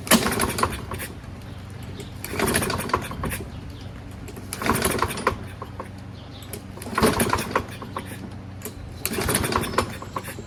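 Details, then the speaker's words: Toro Recycler self-propelled mower, Kohler 6.75 engine, choke closed, starting fluid sprayed in: five recoil pulls with no firing at all; no-start from fouled spark plug, flywheel also rusty. "Even with a lot of pulls, jism right through the thing, you've got absolutely not even an inkling of it starting."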